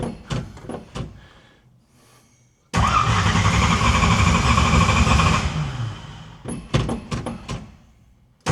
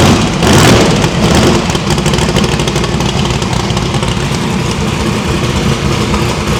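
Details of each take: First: No-prep stick-shift drag car just after valve spring install, revved twice: lumpy uneven beat that never smooths; running on only four cylinders because plug wires were left disconnected. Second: Drag-race V8 after new PAC valve springs, headers still cold; blips up then settles to an even idle; after running on four plug wires, it now runs clean with all eight reconnected.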